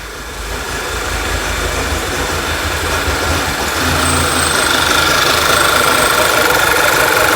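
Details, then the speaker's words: 2011 VW Tiguan petrol engine, codes cleared and fuel trims reset, idles unevenly with an irregular stumbling pulse; rough idle with misfires on all 4 cylinders, code P0300, despite multiple parts replaced. "So I cleared all the codes and it's reset the fuel trims, and now it's misfiring like crazy on all 4 cylinders. You can hear it running poorly."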